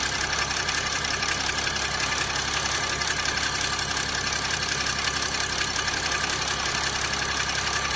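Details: Chrysler 300C CRD diesel at idle: steady, busy clatter roughly three beats a second with a hard metallic edge; engine noise of unclear source.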